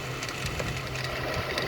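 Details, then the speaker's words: 2010 Ford BF Falcon wagon at idle with a leaking water pump and low coolant. Mystery noise from the serpentine belt drive. Faint whirring hum with light irregular ticking. Owner suspects the idler pulley or tensioner pulley bearing. Abnormal idle noise. "So I will be replacing the water pump, but I actually think it's either that idler pulley there,"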